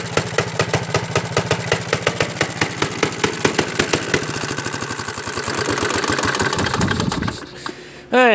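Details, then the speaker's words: 1937 Johnson Iron Horse single-cylinder engine on a cold start: loud pops quickening and blurring, then cutting out; owner suspects loose parts underneath, a shop suggested valves not seating; unusual running noise. "I think the reason why it sounds like that it's just because the the parts under you ain't like tight"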